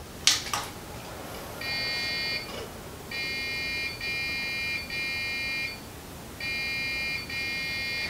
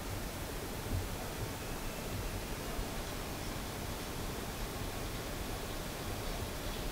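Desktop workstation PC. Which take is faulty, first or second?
first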